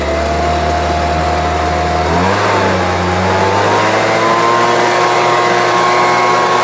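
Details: Homelite UT08572 string trimmer, small two-stroke, tested outside after repairs: steady buzz that dips, then climbs and holds clean without stumbling or surging. Owner will check whether an earlier "tink" noise is gone. Normal running.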